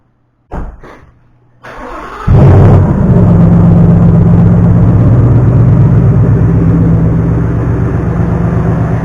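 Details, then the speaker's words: New 2019 Mustang GT Performance Pack 1 with 190 miles, just started at a high cold idle, on factory oil before its first oil change; busy, ticky clatter over the rumble; engine rattle at idle, cause unknown. "Tell you what, man, for having 190 miles on it, it's awfully rickety. Making a lot of rattling, especially"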